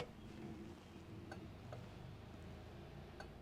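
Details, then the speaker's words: 1988 Monte Carlo SS, sat over 20 years, interior electrics check: only a few faint clicks spaced well apart in a quiet cabin; turn signal flashing too slowly. "Got a slow turn signal."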